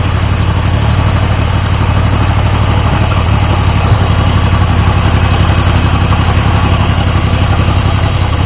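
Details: Triumph T150V triple after head and cylinder removal to fix oil leaks; started on the 2nd kick. Steady low idle, slightly uneven beat, a few light top-end ticks. Oil pressure ~70 psi revving, ~40 psi below 2000 rpm; good oil return, no leaks; running normally.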